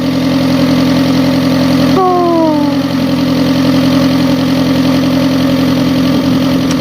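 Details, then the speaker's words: Fiat Stilo with a replacement engine, after the timing belt was redone because it idled badly. Cold start with the alternator on gives a steady, even idle with a brief early chirp. It runs perfectly; an exhaust leak is noted, probably on top. "knowing that everything is fine the engine sounds fine it's running perfectly"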